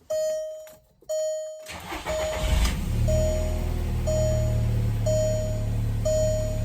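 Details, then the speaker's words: 2004 Volkswagen New Beetle after battery change, about 96,420 miles: chime ticking about once a second, short crank, engine catches cleanly and settles into an even idle; normal start. "that's the mileage fired right up"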